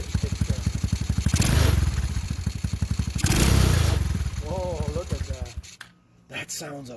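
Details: TaoTao GK110 go-kart, 4-cycle single, new replacement carburetor, idle just turned down from too fast: steady even putter about four pulses a second, some unsteadiness near the end; idle sounds healthy.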